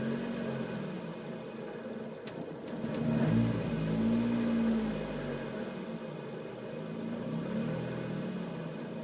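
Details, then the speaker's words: 2011 Lotus Exige petrol engine idling roughly and surging in revs on its own a couple of times without throttle input. "I'm not hitting the gas at all. The car is doing this by itself."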